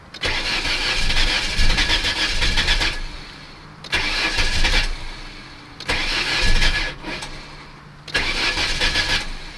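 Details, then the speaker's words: Ford Escort with a non-interference engine and a new battery, restarted after long sitting: four bursts of steady starter cranking, but the engine never catches. Old gas is smelled, and the earlier knock after sitting is gone. Cranks but no start, cause unconfirmed. "turns out it might not be starting today let's see trying to start"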